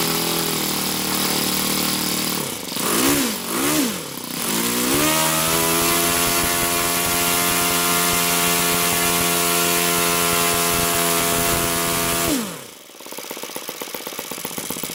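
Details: YS FZ63S supercharged glow engine after rebuild with replaced leaking throttle barrel seal, APC 12x8 prop, OS F plug, Omega 15% fuel, started at ~10% throttle: a few cranking bursts, then clean steady high-pitched drone before throttle drops back; normal start.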